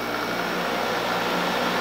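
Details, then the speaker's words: Curbside-found LG LHD659BL dehumidifier under test: steady low hum with an even whoosh of air, no rattles, vibration felt. Compressor and fan are running normally, so the compressor is mechanically fine. "the compressor is running and the fan is right so that's normal you know you'll hear it you feel it vibrating"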